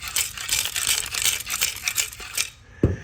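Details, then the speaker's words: Driver's-side catalytic converter removed from a 2015 Chevy Camaro 2SS RS convertible, shaken by hand: loose gritty clinking and rattling like broken ceramic tumbling inside; the catalyst substrate is broken and coming apart. "The issue with that one was the material inside, the actual catalytic converter, was broken and coming apart."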